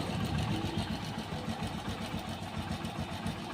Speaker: तो गाड़ी भाई बिल्कुल आवाज़ साइलेंट है, कोई कटपट की आवाज़ नहीं है, बिल्कुल भी ओके रिपोर्ट है।